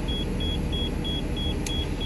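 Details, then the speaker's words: 2014 Thor Palazzo XCS motorhome, Freightliner chassis, Cummins diesel idling in neutral during air-system desiccant filter job: short high beeps about three a second over low rumble, low air pressure warning as airbags refill; pressing brake stops it. "wait that's for sure because I'm in neutral I push the brake like that it'll stop beeping"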